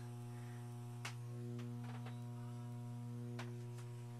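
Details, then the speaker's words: Constant low mains hum with a steady, unchanging buzz through the speakers of a 1970s Lenoxx BSR turntable AM/FM stereo receiver, on radio and phono alike; cleaning didn't help, owner suspects a ground loop or failing capacitors. "It's on the radio. It's on the phono. I tried cleaning everything. I think it's a ground loop."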